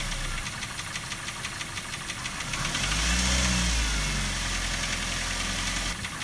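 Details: Daihatsu Terios 1.5 in for diagnosis of engine knocking, valve clearances to be checked first: a steady, regular knock about three a second over the idle grows louder as revs rise slightly, from inside the engine.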